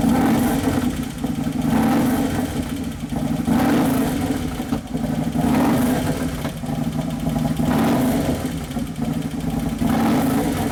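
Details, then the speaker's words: 2011 Harley-Davidson Road Glide Twin Cam V-twin restarted after motor repair: idle surges up and down every couple of seconds with light ticking. Hydraulic lifters are not pumped up, and the computer is fighting it. Owner suspects a lean mixture or an O2 sensor fitted to the wrong cylinder. "yeah the computers fighting it that's why it's going up and down up and down because the valves that one still aren't working very good whichever ones clattering"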